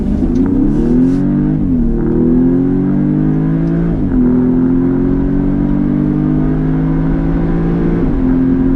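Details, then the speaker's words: 2019 Audi S3 sedan floored in sport mode (engaged automatically, holding gears longer): engine note climbs steadily, dropping cleanly at each upshift about every two seconds; smooth, healthy pull. "So one of the downside, I'm gonna go ahead and floor it coming out of here."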